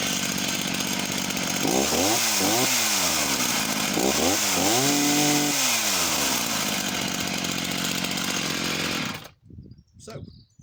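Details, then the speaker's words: Husqvarna chainsaw, unknown model, starts and throttles up but sounds rough and burbly at top revs, four-stroking a lot at full throttle, possibly leaned out slightly; chain runs bone dry, no oiling. "seems to start okay and throttles up okay could be undoubtedly um leaned out slightly as well four stroking a lot at the top end"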